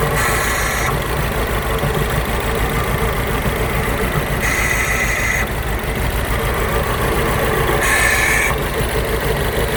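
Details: 2008 Mini Cooper Clubman S misfiring at idle: rough uneven petrol idle with a periodic breathy gasp every few seconds; coils, spark plugs and fuel filter replaced without fixing it; owner suspects the gasping is the problem.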